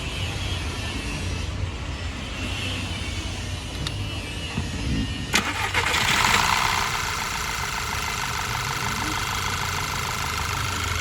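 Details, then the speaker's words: Skoda Superb petrol with codes P0303, P0352, P0353 starts and stumbles at an uneven idle, still misfiring, worse with AC on; ignition coil suspected, to be swapped. "गाड़ी तो अभी भी missing मार रही है देख सकते हो आप ड़ ड़ आ रही है"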